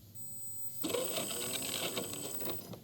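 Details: Red Cat Racing Everest Gen 7 Pro RC crawler motor, retested after lubricating to fix a squeak: spins up to a soft, even whir for about two seconds with no squeak, then winds down. Smooth-running motor.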